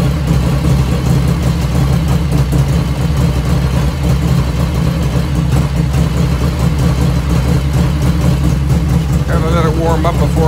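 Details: 1985 Harley FXR V-twin idling just after first start, still cold at about 49°F ambient, right after a float setting: steady, deep loping idle with an even beat and no ticking or misses; normal idle.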